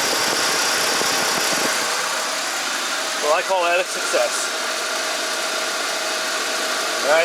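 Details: 1976 GMC motorhome just started after installing belt tensioner pulleys: steady, even idle with a smooth hiss and no squeal or chirp from the belts; belt drive sounds healthy.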